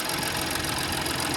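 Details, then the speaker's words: 2017 BMW X5 with N55 engine, cold start after replacing the belt, tensioner, idler pulley and spark plugs: fast light ticking over a smooth idle; owner says the high-mileage valves tap until warm; the pulley whine is gone. "My valve's been tapping like that. Once you get all the miles on there, they tap like that. Yeah, once it warm up, it'll stop."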